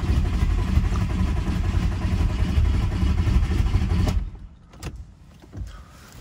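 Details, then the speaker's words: Audi A4 converted from 2.0 TFSI to a 1.9 ALH TDI diesel, first key starts with fuel primed: about four seconds of steady starter churn that never catches; owner suspects it needs more throttle or idle, possibly glow plugs. "so I'm just going to keep cranking um cuz it probably wants a little bit more throttle and I'm a bit impatient"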